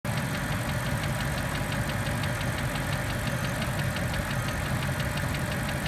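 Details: BMW N62 4.4 V8 at steady idle with a crisp, regular light tapping about four to five times a second riding over the engine; a clear knock, source undetermined.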